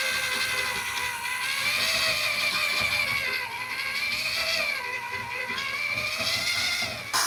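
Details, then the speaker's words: Drilling out a factory ball-joint rivet on a 2001 Dodge Ram 1500 V6 2WD: a steady high drill whine while cutting, then a sudden change in tone as the bit breaks through and stops cutting. "You can hear it when it stops cutting. Boring out that hole."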